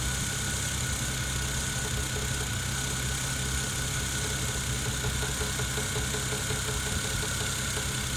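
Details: Toyota 1JZ-GTE engine at steady idle: faint regular light tapping over the engine hum; engine knock, cause suspected but not confirmed.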